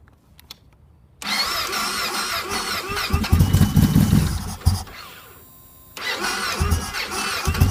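Rapid chugging cranking, about three or four beats a second, dies out, pauses, then another attempt; the bike is reluctant to fire.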